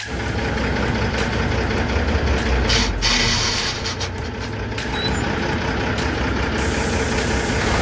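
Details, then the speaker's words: Tata 1613 Turbo diesel truck with gear-change trouble, idling: faint repeating rattle about two or three per second; mechanic suspects the clutch pressure plate, its fingers pressed down, not yet confirmed. "तो भाई उसे आवाज़ को सुनकर जहां तक मुझे लगता है की ये आवाज़ प्रेशर प्लेट की है प्रेशर प्लेट पूरी तरह से उसके फिंगर डबली रहे द इस वजह से आवाज़ ए रही है"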